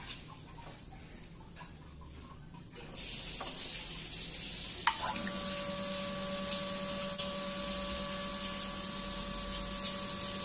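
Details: Hitachi CT P250F jet water pump, over 25 years in service, after replacing the air charger assy; runs automatically off the tap with no tank. A gush of water, then a steady, very smooth motor hum with no knocks or rattles: normal pump running.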